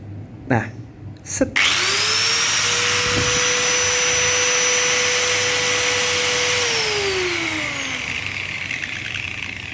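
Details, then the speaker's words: Angle grinder after bearing replacement, spins up to a clean, steady high whine with no rumble or wobble, then winds down smoothly; healthy bearings, normal running. "Udah ada udah nggak ada bunyinya kokoh cakep padat enak gitu apa namanya nggak koplak kayak gerinda baru lagi"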